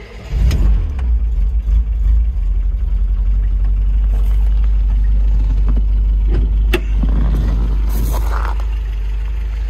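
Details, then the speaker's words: 1970 MGB GT, serviced engine with revised ignition: fuel pump heard on key-on, starts quickly, then a deep steady exhaust note rises and falls cleanly with blips, no misfire or stumble; normal start and revving. "petit contact de clés donc il faut que je trouve la bonne clé tout de suite voilà on entend la pompe à essence et c'est parti"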